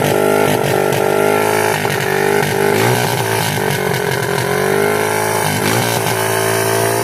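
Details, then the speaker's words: 1986 Yamaha YFM Moto4 200 ATV single-cylinder, after carburetor work: revs surge and sag unevenly instead of holding steady; the very rusty throttle cable is sticking and needs replacing. "Don't like that throttle, man. It's getting stuck or something."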